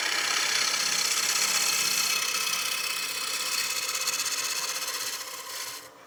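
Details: Woodturning a 2" thick, 13" kiln-dried cherry cake stand blank at about 950 rpm, gently scraping with the bottom wing, flute mostly closed: fast rasping scrape pulsing about four times a second as the tool chatters on the out-of-true blank.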